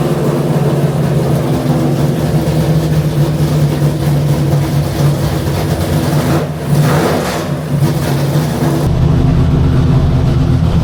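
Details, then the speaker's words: Engine with six-barrel carburettors on number 88 jets, warmed up for a test: loud, lumpy low idle and stumbling rev blip, four cylinders not firing (two per side), running very rich; owner finds no spark, cause unconfirmed. "are not working four cylinders four cylinders are not working was it carb or I don't know yet"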